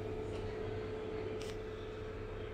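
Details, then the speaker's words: Soundbest Flash power mixer-amplifier with audio output lost and the speaker protect engaged while the track display keeps running; only a steady low hum with a faint higher tone comes from the speaker, and both channels are affected. "angkanya tetap jalan ya namun suaranya hilang dan terasa suara storing di speaker ada suara dengung Ngu gitu ya"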